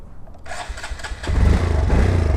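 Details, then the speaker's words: Bike with Dynojet tuner and wideband, engine catches and picks up cleanly on throttle with no pops or backfires; normal revving. "when I give it gas there's no popping"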